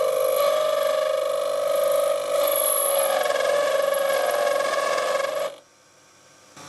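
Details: Lathe cutting a full-thread-depth chamfer far from the chuck with heavy tool engagement: a loud, steady ringing squeal with a high overtone throughout the cut, stopping abruptly; tool chatter.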